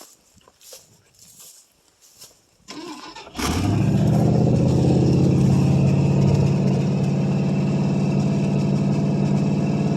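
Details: 1968 Ford LTD 390 FE two-barrel V8, off the road since 1999 and about three years unstarted, fuel poured into carburetor bowl, mouse nest in exhaust: couple seconds cranking, then catches abruptly into steady even fast idle. Cold start after long storage.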